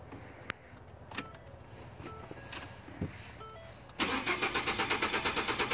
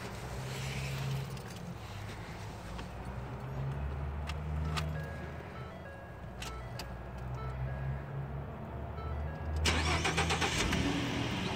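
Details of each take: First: 2013 Ford F-150 cranking but not starting: starter spins the engine in even pulses about five a second without firing, caused by a burnt 20 A fuel pump fuse. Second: 2013 Ford F-150 that cranked but would not start because of a burnt 20 amp fuel pump fuse: after fitting a new 20 amp fuse, a few clicks, then a short crank as the engine catches and settles into an even low idle.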